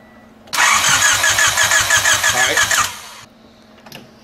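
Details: Honda, key on, starter cranking steadily about three beats a second without firing during no-spark diagnosis, test light on coil negative checking whether the igniter switches the coil; no-start from lost spark.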